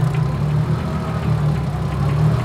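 Steady low idle with a light, even tapping riding on top; typical of a boosted engine, nothing wrong here.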